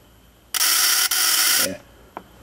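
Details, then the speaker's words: Model T Ford buzz coil, checked good, on 6 V battery firing a test spark plug: strong, even high-pitched electric buzz about a second, no stutter; healthy coil giving a hot spark, normal. "but uh this is what you want you want a real hot spark down here at the plug"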